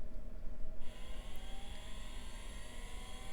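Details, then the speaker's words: Packard Bell Legend hard drive, tested on a 486: spindle whine climbs steadily as the platters spin up and down with no seek clicks, heads not trying to move; stuck heads. "See if it figures its life out. No, it's just spinning up and down. I don't hear the heads trying to move."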